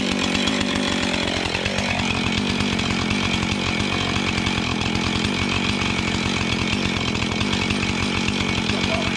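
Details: Junk-pile Husqvarna 445 XTorq chainsaw, reassembled from pieces with glued leaking fuel tank, coil found good: steady high buzz pulling evenly through the cut without bogging or misfiring; normal running under cutting load.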